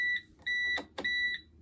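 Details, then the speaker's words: Bosch WFP3300 washing machine on 90° cotton citric acid descaling wash, still full of water: repeated high steady beeps in short bursts signalling fault code F03, drain pump, owner says full of sludge, too much to turn. "that was given fo3 if it would shut up f o three fault code 03 that's the pump so it's full of sludge i'd say too much for it to turn around"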